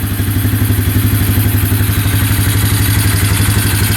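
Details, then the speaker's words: 2011 Polaris Phoenix 200cc ATV at first idle with the airbox off, after a missing wire was fixed. Steady single-cylinder thump at about four beats a second, with no knock, miss or smoke: healthy idle. "no knocking in the engine yeah everything sounds really good"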